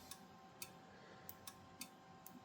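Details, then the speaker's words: Rigol DM858 multimeter, hardware 1.02, DC volts autorange measuring about 8.7 V while monitored on an oscilloscope: sharp irregular relay clicks, about eight in under three seconds, no voltage drop seen; normal autoranging. "you hear the relay clicking, but if you watch on the oscilloscope, there is no drop seen. So, that means that meter looks like it's working properly."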